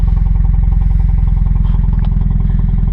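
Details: 1986 Chevy Chevette with a poor starting history: steady, fast, clattery pulsing idle sounding almost like a diesel; runs rough and unhappy, may stall without gas, cause not found.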